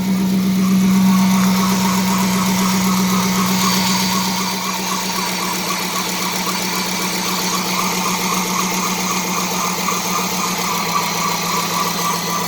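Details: Dodge Charger 5.7 Hemi, intake refitted after replacing the serpentine belt and tensioner pulley, belt too tight: a steady, even V8 idle with a smooth low hum and no knocks or squeal; running cleanly.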